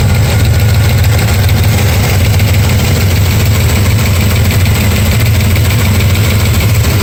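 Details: Steady idle with a light fast tick, about three per second, over low engine hum; ticking noise being chased, source not pinned down.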